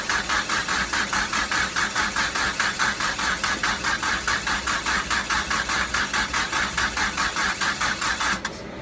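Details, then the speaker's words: Mitsubishi Starion/Conquest G54B engine, long stored, no spark: even starter cranking with spark plugs in, never catching, turned over to prime oil pressure before first start; crank, no start. "So we're going to go ahead and crank it just to get that oil pressure up. So when it does start, there won't be any problems. So here she goes. She's going to crank up."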